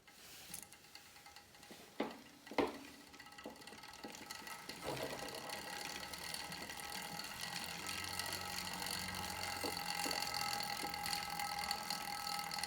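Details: Star Trac Spinner 7070 spin bike: light, uneven metallic rattling and ticking about three per second while pedalling; chain vibration suspected, possibly chain slapping, not confirmed.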